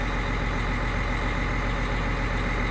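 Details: Caterpillar Challenger 95E diesel just started after a 250-hour service with Witham oil and genuine Caterpillar filters, oil pressure rising: deep, steady rumble at an even idle with no knocks, misses or surging; a healthy, normal idle.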